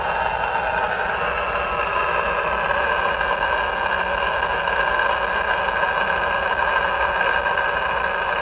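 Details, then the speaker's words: Polymer surge arrester in a variac-ramped test toward the 14.4 kV test voltage: a constant harsh buzzing crackle at an even level. The arrester is causing RF interference; the noise started at 6.7 kV. "that noise started at 6.7 KV at 14-4 we're going to ramp that up to 14-4 right now which is what how we found it yesterday"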